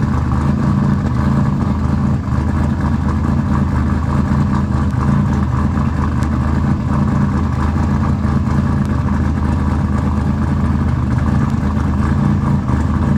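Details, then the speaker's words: Engine just started after installing RJC V-Band exhaust gaskets: loud, deep, steady run with even firing and no ticking or puffing from the exhaust joints; sealed exhaust, healthy engine. "all right guys as you can tell we got it running she's running can y'all hear it can you hear it is it loud you like that sound"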